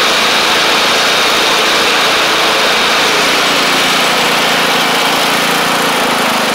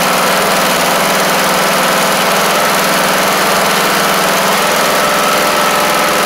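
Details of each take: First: MTD Craftsman LT1500 riding mower with replacement engine, after bottom oil seal change: steady, even single-cylinder chug around 200 a minute, no surging; no longer over-revving, healthy. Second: MTD Craftsman LT1500 riding mower just fitted with a replacement engine, first start: steady, even small-engine idle with no knocks, misses or surging; runs good, though the governor seems a tad fast and may need bending in.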